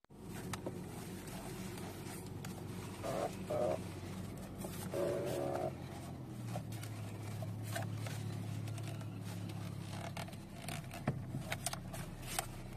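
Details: Nissan Qashqai J11 steering column creak: short rubbery creaks in two bursts as the wheel turns over quiet cabin hum; the part under the column shroud creaks, fixed by cleaning and greasing it (not spray).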